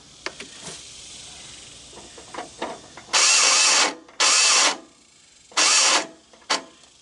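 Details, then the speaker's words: Snapper 38-inch riding mower with oil slightly overfull: three short bursts of high, free starter whirring with no engine turnover, even after tapping the starter with a hammer. The starter spins without cranking the engine; owner suspects the Bendix isn't engaging. "kind of sounds like that bendix isn't kicking in starters spinning but"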